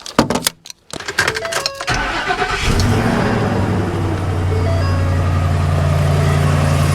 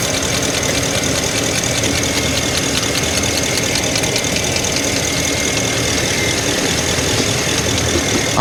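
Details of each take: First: 2012 Ford F350, 6.2 L gas engine, after repair for code P06B6 knock sensor 1 performance, codes cleared: starter cranks, engine catches and settles into a smooth even idle, no clicking, ticking or odd noises. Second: 2012 Ford F350 6.2L gas V8 at idle, code P06B6 knock sensor performance: uneven ticking snap and sharp crackle as ignition coils, sprayed with water, arc and short to the block, suspected of creating false knock noise.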